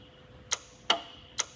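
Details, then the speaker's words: 1981 Lectra Motors Lectra 2+2 electric car (Datsun 310/Pulsar body), junkyard find unused about 20 years; controller jumpered on, 50 V supplied, throttle moved: sharp dry relay clicks up front, no motor hum, motor not turning; no LEDs, so unclear whether the controller works. "okay i'm hearing something click up here"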